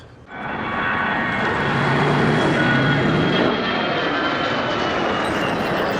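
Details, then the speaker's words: 2008 Toyota Yaris exhaust, heard under car before repair: loud raspy roar harsher than normal tailpipe note; exhaust leak at damaged exhaust manifold flange, plus a heat shield rattle. "Basically the uh it leaks two things. It leaks and there's a rattle with the heat shield."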